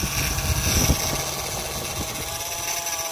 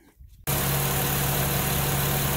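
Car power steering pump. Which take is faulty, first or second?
first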